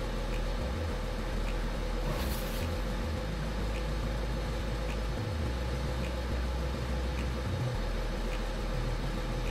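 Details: Toyota Aygo driving with a steady low droning hum under road noise from a worn front wheel bearing; ABS fault on the opposite side, probably from crusty build-up on the bearing track; other side's bearing already replaced.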